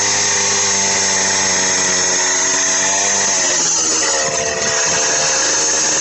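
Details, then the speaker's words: Minarelli two-stroke on a motorized bicycle with a China doll CVT, first solid run at half to quarter throttle: high buzzing wail that sags slightly as the belt drive engages; runs strong and healthy. "definitely this thing is uh hauling I I actually very pleased with it"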